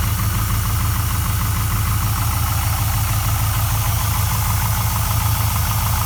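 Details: Rebuilt LS1 V8 idling: deep steady rumble with a soft, uneven knock about three times a second; owner suspects piston slap or knock.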